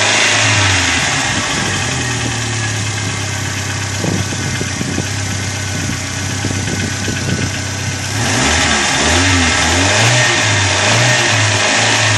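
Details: Chevrolet Corsa at idle: light quick ticking about three per second over uneven idle; hydraulic lifter slow to pump up, attributed to a dirty oil pickup in the sump.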